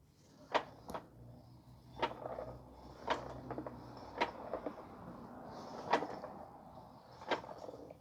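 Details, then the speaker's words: 2013 Honda Odyssey with recently installed new tires: slow irregular clunks about once a second as the wheel turns and a broken piece rolls around inside the tire; the van also shakes on the highway. Loose object inside tire. "I hear something that's broken uh inside the the tire here you can hear it it's basically the piece inside is going is uh is rolling down the"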